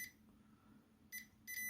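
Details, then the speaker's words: PowerA Nintendo Switch controller with no power, multimeter in diode-test mode across its fuse: a short high beep, then a steady tone when the probes touch, showing continuity, so the fuse is fine. "And you can hear we do. So the fuse is fine."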